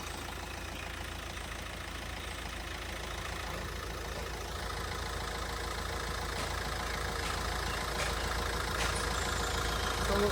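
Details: 2017 Hyundai Creta 1.6 SX diesel, 68,000 km, last serviced at 67,150 km: steady even diesel clatter at idle with constant low hum, no knocks, squeals or belt noise; engine healthy.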